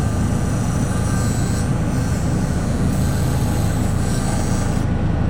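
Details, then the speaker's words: Walk-in cooler refrigeration unit serving a garbage room: heavy low rumble with rattling buzz and uneven shudder; unit shaking violently, solenoid coil buzzing. "right now this solenoid coil is making noise. Wonder if I can move it a little. This thing is shaking like crazy in here"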